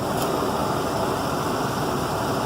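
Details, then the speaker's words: Jeep Commander Next Generation V8 at warm idle after water pump replacement, thermostat open, radiator hose warm and pressurized, no leaks: steady, even idle hum, smooth low rumble and fan hiss, no knocks or squeals; healthy. "a nice warm radiator hose. So thermostat's open."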